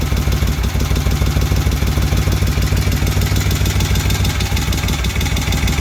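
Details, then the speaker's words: Freshly rebuilt 1971 Moto Guzzi Ambassador 750 V-twin, slightly warm after an oil change, started on enrichers (choke): steady even low thump with regular firing pulses, no knocks or misses; healthy idle settling nicely. "It is a little warm. I was running it after the oil change, but it fires right up with the enrichers on, or the choke."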